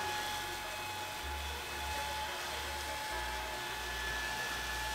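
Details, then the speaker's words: Noctua NF-A4x10 FLX 40x10mm fan newly installed on a Tevo Tornado 3D printer extruder, replacing a noisy stock fan; soft, steady high whir with no rattle or pulsing, running smoothly and very quietly. "Oh man, it's so quiet. Jesus, my other one, the stocked one, was so noisy."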